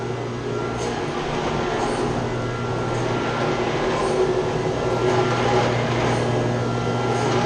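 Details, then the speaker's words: Chiller's chilled-water pump shaking badly and making a lot of noise, with its copper lines shaking too. Loud constant drone with a hard low hum and rattling vibration. A strainer that needs cleaning is found, along with a leak. "Say it's shaking bad in the pump. Making a lot of noise. You see it's shaking."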